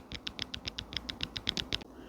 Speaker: When that small electric motor becomes weak, it does not have enough strength to turn the gear, so it can cause it to start clicking. You hear that noise right there? That is a clicking noise or tapping noise.